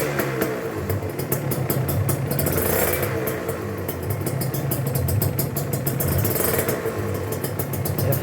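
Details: Used Kawasaki Ninja two-stroke motorcycle being checked before purchase: crisp, even two-stroke buzz rising and falling with throttle, no rattles or misfires; smooth sound suggests well-maintained engine and good block.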